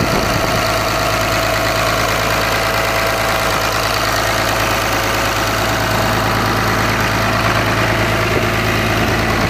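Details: Cummins diesel at idle: a loud idle with a rough, uneven knock about three per second over the clatter; suspected rod knock, not confirmed.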